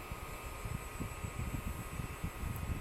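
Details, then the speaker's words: SGI O2 power supply from a WeatherSTAR XL, which had shut off, after recapping: low steady fan rumble with faint constant hum, no ticking or rattling; both lights on, fully functional after repair. "so we have a fully functional power supply ladies and gentlemen completely restored with fresh capacitors"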